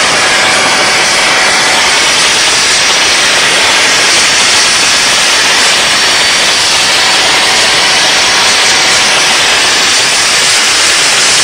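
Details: DIY gas jet turbine go-kart built around a turbocharger, diesel-fuelled afterburner, idle about 22000 rpm: steady even roar with hiss on top, no pulsing or throb; normal healthy running.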